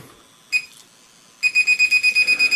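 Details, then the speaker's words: SJRC F11 drone transmitter after binding in mode 1: short shrill chirp then fast bright beeps about eight per second, its normal but annoying operating beep. "Okay, so it's got a really annoying beep, and it really is annoying."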